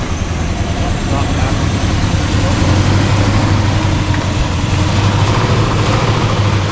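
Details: Carbureted V8, started after sitting about 8 months on an 80-degree day: cold, rough, uneven idle, deep unsteady rumble near stalling, described like a "valve fart"; they suspect old garbage fuel or running out of fuel, unconfirmed.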